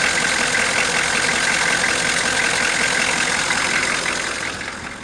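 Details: 1987 Ford F350 6.9 diesel idling with a steady knock, about three a second, over a harsh hissy clatter; clearly audible from the cab, cause unknown.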